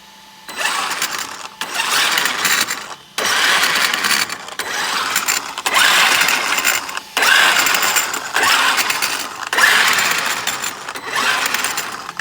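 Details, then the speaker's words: Traxxas X-Maxx basher, Hot Racing diff covers and braces, hard use in sand: bursts of rough gear whirring and loud clicking heard from the front diff. Owner suspects the diff or a bent driveshaft; cause unconfirmed. "this one I've built to bash so I'm hearing some sort of noise come from this front diff"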